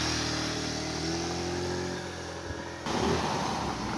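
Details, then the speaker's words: Motorstar Easy Ride 150 after auto choke fix: covered and auto choke refitted; earlier had no idle, high idle then stalling, heavy fuel use. Single-cylinder putters at steady even idle, brief clean blip; runs smooth and healthy. "so Ayun may Menor na siya at may hatting testing testing testing"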